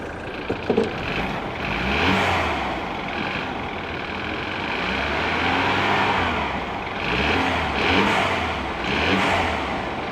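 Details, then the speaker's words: 2024 Subaru, hood open, light throttle blips: loud, raspy engine rising and falling, diesel-like but no distinct knock, no exhaust smoke; possibly direct injection, cause unclear. Loud engine noise. "I mean I don't know I guess it's all right it it seems a little loud to me though no smoke coming out of the exhaust so that's good"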